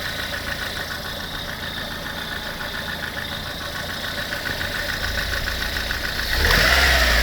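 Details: Lada engine 21126 at idle: steady idle with a light, regular knock about four times a second over the engine; extraneous engine knock, source unclear.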